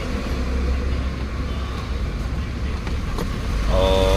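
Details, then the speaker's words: Toyota Rush after the cylinder #2 no-spark misfire is fixed (coil, plugs, wiring and ECU checked): idle described as very stable, a smooth, even low hum with no stumble or skip. Running cleanly, problem solved. "Tapos yung menor niya napaka-stable."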